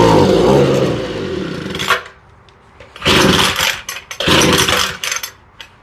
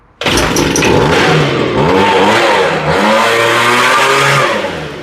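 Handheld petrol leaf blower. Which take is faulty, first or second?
first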